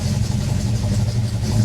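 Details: 1967 AMC Ambassador after fuel system repair, with a switched-ignition fuel pump primed and no leaks: engine catches at once and settles into a steady, even low rumble with no misfire or knocking; healthy start and idle.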